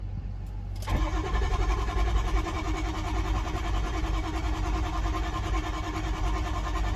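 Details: Starter engages at about one second, then a steady grinding crank runs on with no firing or pickup on a 6.0 engine: cranks but won't start.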